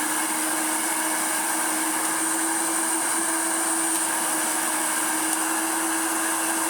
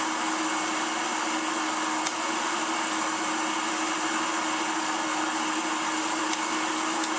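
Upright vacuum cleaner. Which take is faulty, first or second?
second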